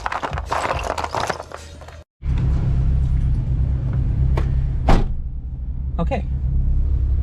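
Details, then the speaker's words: Honda after wiring in P72 ECU, VTEC pressure switch bypass and VTEC wire: after a brief burst of other noise, engine settles into steady, even low rumble with no knocks or misses; sounds and feels good. "sounds good, everything feels good."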